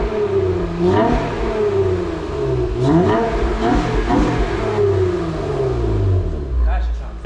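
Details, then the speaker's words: Acura TL/TL-S at a shop, revved after a new exhaust was installed: it climbs and falls through several clean blips with a deep, even tone and no rasp or rattle. The exhaust sounds healthy and pretty good. "raspy at all yeah it sounds pretty good"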